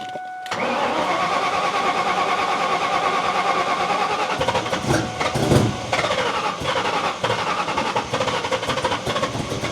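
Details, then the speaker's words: Mustang revival with MAF sensor unplugged after idling well earlier: engine catches fast, then idle turns lumpy with irregular stumbles and surges, spitting fuel out the exhaust; running badly, likely too rich. "Not very happy. Spit a bunch of fuel out the back. That's great."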